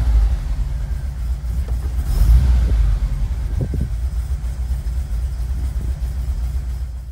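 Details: 1986-1991 VW Vanagon, Digifant injection, previously high/varying idle, now hooked up: even low rumble, steady idle, no hunting or surging; normal idle.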